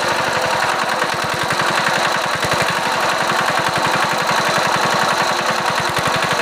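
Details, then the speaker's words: Diesel engine after repair of surging (up-down revs), run at top speed with fuel adjusted: even steady beat at constant speed, no rising or falling; surging fixed. "আমরা ইঞ্জিনের running একদম টপে এনে আমরা তেল এডজাস্টিং করে নিয়েছি তো এই যে দেখুন আর কোন আপ ডাউন নেই"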